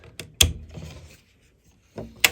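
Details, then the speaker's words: High-end cassette deck reel drive test at power-up: a few sharp mechanical clicks and a brief rattle, then quiet; reel drive only twitches and won't turn, likely needs a new idler. "It's probably going to need an idler. It sounds like it needs an idler. See what happens here. It twitches, but that's about all it does."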